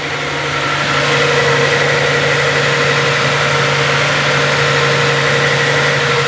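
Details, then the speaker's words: Z car with T-tops on a cold morning start, the day after repair work: a steady, slightly fast idle with an even hum and no misses. The owner suspects the cold start valve's rich running is the cause and expects it to settle once warm. "I actually forgot that these cards are supposed to run rich because of that cold start valve so that's probably why it is i doing a little high right now"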